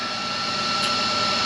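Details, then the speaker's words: John Deere 4755 with 7200 corn planter: steady high rushing whir from the planter vacuum fan with a constant thin whistle, no wobble or rubbing; it would not run the day before, now running properly. "You can hear the noise behind me. That is the vac on the planter running, which is a good sign. Yesterday it wasn't wanting to run."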